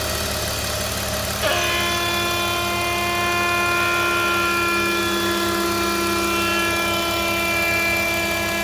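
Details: BMW E46 325i, noise that changes with vacuum: steady idle with a high, constant whistling hum over the engine. Intake noise; DISA valve or vacuum leak suspected, not confirmed.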